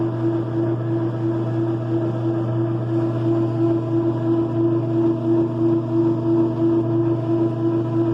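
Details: Clothes dryer running: a loud steady hum with a droning tone pulses about three times a second as the drum turns, a noisy drive.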